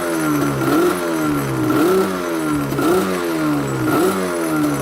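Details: Yamaha Banshee two-stroke ATV, warmed up: buzz rising and falling about once a second in clean, even blips, revving out freely with no bog once the parking brake, which was acting like a permanent choke, is released.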